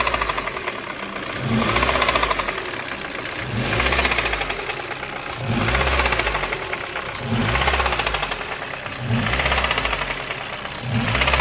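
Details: 2005 Ford Focus 2 pre-facelift, 1.6 Duratec HXDA petrol, about 130,000 km, hot engine: revs rise and fall repeatedly with a light knock each time the throttle closes, appearing only when warm; cause unknown. Engine knock on throttle lift-off.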